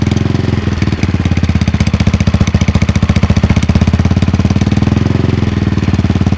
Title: Cold start - Clicking noise primary side